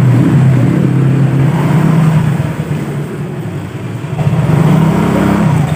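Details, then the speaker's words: Yamaha Mio GT scooter after repair of imitation CVT parts: engine hums low and steady, easing off then picking up smoothly without shudder; before repair it juddered and lurched forward on slight throttle; belt drive now engages cleanly. "Nah, ini enggak, udah normal. Oh, sudah enak, ditarik gasnya enak."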